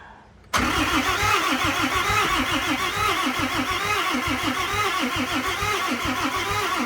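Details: 2008 Dodge Ram 3500 6.7 Cummins, on two charged batteries after priming the lift pump: steady, even cranking for about six seconds that never fires; owner unsure the fuel system truly self-bleeds, cause unconfirmed.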